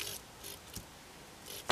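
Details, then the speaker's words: A one-transistor (or two-transistor Darlington) NPN driver circuit with a 12 V relay; a positive voltage on the base, even through a 1 megohm resistor or touched by hand, pulls the relay in. Quiet bench, then one crisp click: the relay switches properly. "i do that now with my two hands you can surely hear that relay click so when you give that first transistor of the dialect on even a tiny voltage say connected via a one mega ohm resistor to the positive"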